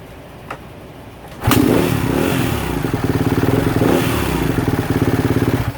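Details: 2016 Kawasaki KX250F previously not running, wires soldered to connector nubs, fuel pump disconnect/reconnect fault suspected: fires first try and settles into quick even thumping idle with a couple of blips. Normal start.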